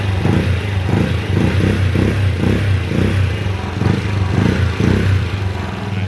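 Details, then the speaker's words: GY6 50cc scooter after carburetor swap and idle adjustment: quick throttle blips about two a second snapping up and dropping straight back to idle without stalling; clean throttle response. "and now i can actually blip the throttle and it takes it without stalling"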